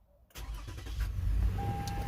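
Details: 2012 Toyota Highlander first start after alternator replacement and refilling antifreeze: quiet, then the engine fires straight into a steady, even idle with no stumbling or squeal; clean start, charging about 13.9 V afterward.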